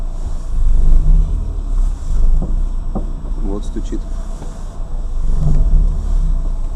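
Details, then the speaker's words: Lada Granta liftback, recorded from inside while driving: scattered sharp knocks over road rumble from the front suspension when turning, mostly left but sometimes right; no knock uphill, standing still or braking; also knocks on bumps. "Вот стук. Влево. Вправо. На месте стук не обнаружен. Вот. В основном поворот налево, но иногда и направо."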